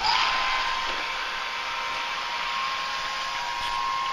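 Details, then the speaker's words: Chugger pump feeding a Therminator plate chiller, first power-on after sealing leaky connections with thread tape; steady even motor hum with water rush, no rattle or surging; pump running fine. "Seems to be running up into the cooler. Feel the flow. So far, seems to be working fine."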